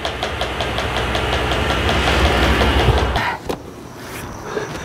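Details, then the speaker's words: Supercharged C5 Corvette at idle: sharp steady knock about four per second from the front, in rhythm with the engine, stops at shutoff; engine problem suspected but another engine-synced front part possible; rhythmic knocking. "when you fire this car up it has a bit of a noise take a listen that's an unhealthy noise and it's coming from the front and perfect rhythm with the motor which usually means you've got Motor problems"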